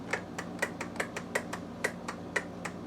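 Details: 22 hp Briggs & Stratton V-twin on a Craftsman lawn tractor that won't start with a suspected fuel supply problem: sharp, distinct clicks about every half second with the engine off, the fuel shutoff solenoid clicking normally.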